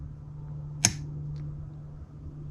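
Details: New QUCC 200A relay-type BMS: one sharp click over a steady low hum as the discharge switch is turned off and the relay opens, dropping the load; switching as it should.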